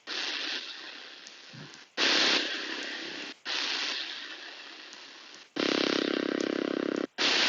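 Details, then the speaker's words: T&G TG-392 bicycle radio/Bluetooth speaker on FM with a poor antenna: harsh hiss bursts, short dropouts and buzzy warbling. Self-generated interference ("birdies"). "It was picking up a lot of what they call birdies, which is like um frequencies with just noise that is generated by the unit itself."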